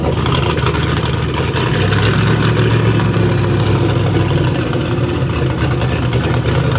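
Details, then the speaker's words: Race engine, 13:1 compression 5.3 iron block with injectors set to flow for 50 psi boost, running after the swapped MAP sensor ground and reference wires were corrected: loud, steady, lumpy but even rumble with no knocks or misfires. "the good news is right now we know it's gonna flow at 50 pounds of fish we even need it exactly yeah it runs it does let's go push it"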